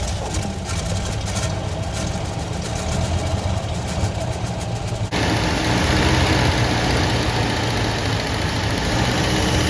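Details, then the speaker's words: 1973 Ford F100 with 302 Windsor V8, 3-speed column manual, first start after sitting parked 16 years and carburetor work: steady, even low burble at idle, no knocking or miss, runs like a sewing machine; slightly smoky, expected to clear once rings seat. "man it's not knocking enough like a sewing machine man it's a runner"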